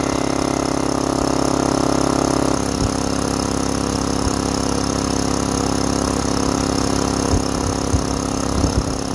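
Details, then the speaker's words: Used DeWalt DXCM601 60-gallon electric air compressor, returned and sold as-is: steady motor drone keeps running, with the tone shifting as it dumps air, pointing to a pressure controller that needs adjusting. "so the unit kept running and I could hear it dumping air and then running and dumping air finally came back here and paid attention to the pressure controller"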